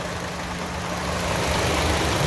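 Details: 2014 Chevy Cruze LT warmed up after water outlet (902-846) replacement and coolant refill: steady, smooth idle with no misses, ticks or knocks, and no leaks seen.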